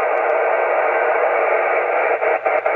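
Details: Heathkit SB-610 monitor scope connected by coax to an FT-857 transceiver, on the bench: steady loud hiss raising the noise floor and drowning signals; caused by a faulty tube socket, noise stops when the socket is dealt with.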